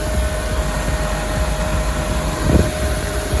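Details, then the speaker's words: Honda S2000 CR after radiator, hoses, thermostat, VTEC solenoid and coolant replacement, idling warm with heater on full hot and AC on during bleeding: steady whir of the electric fans over an even idle, no rattles; cooling fans working normally. "All right, those fans appear to be working. Yep."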